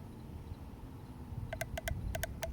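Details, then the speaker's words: Fuel injector removed from a car that sat for years, bench-tested by tapping battery positive: four crisp clicks over quiet background, showing the injector opens freely and is not stuck. "you can hear that that's clicking so that means your injector isn't stuck and it should still be good"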